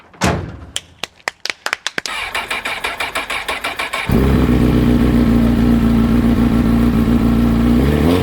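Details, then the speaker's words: Wrecked 2006 Honda CBR1000RR rebuilt, first start: a few seconds of cranking, then it catches and settles into a smooth, steady idle with no knocks or misses. The water pump is still to be inspected. "I mean, it sounds healthy enough."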